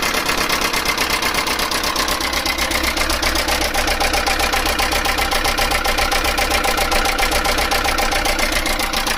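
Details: Chinese mini truck engine at idle: a fast, even rattle of about four taps a second over a steady idle; a mechanical rattle, cause unknown.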